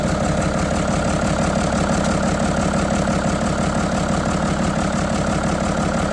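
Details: 1975 White 2-150 tractor diesel running after 19 years asleep, secondhand muffler fitted and intake cover off: steady idle, even beat about three pulses a second with open intake roar; runs smoothly.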